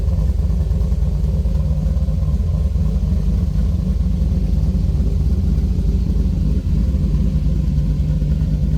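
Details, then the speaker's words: C3 Corvette restomod V8 idling after two 16" stainless resonators were added between the X-pipe and mufflers: deep, steady burble with even pulses, no rasp or drone; healthy note. The right-side pipe has dropped about 1/4–1/2 inch and needs straightening. "I got to straighten that out. But other than that, sounds good."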